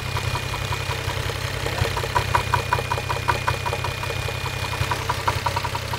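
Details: Toyota 1JZ-GTE VVT-i at steady idle: a sharp, regular tick-knock about two or three times a second over the hum. Engine knock from inside the engine.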